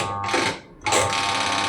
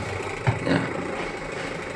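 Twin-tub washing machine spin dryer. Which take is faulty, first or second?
first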